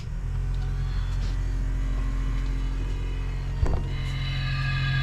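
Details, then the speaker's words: 1983 Coachman camper water pump switched on after plumbing leak repairs with PEX: a steady low drone with a faint tone rising late, likely air leaving the lines; noisy pump on startup. "what i do have is one switch here for the pump we're gonna turn it on it's gonna be loud we'll see how long it runs"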